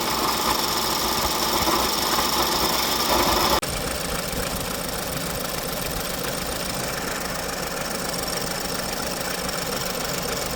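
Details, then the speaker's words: 2019 Ford Escape 1.5 EcoBoost with a harsh, steady rattling growl and fast tick at idle, first suspected as the timing belt. Little noise remained with the drive belt and timing cover off, so the water pump was blamed: failing water pump. "As you probably noticed in a second clip, when the drive belt was removed and we had also the timing cover removed, there was not much noise coming out, so which led me to conclusion that the issue was the water pump."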